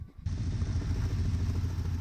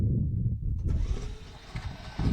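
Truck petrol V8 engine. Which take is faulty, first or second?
first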